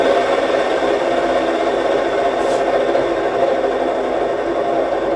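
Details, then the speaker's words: E-bike hub motor bearing spun: steady, dry, gritty rasp with no rhythm or pitch change, whereas a fresh bearing is practically inaudible. Dry wheel bearing. "Here's what a dry bearing sounds like."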